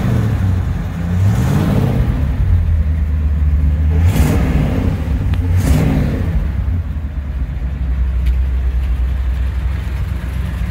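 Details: 1959 Chevrolet Apache 3100 pickup V8 running for the first time in over 20 years of sitting, with a fuel leak: it picks up cleanly through a few blips, then drops back to a steady idle.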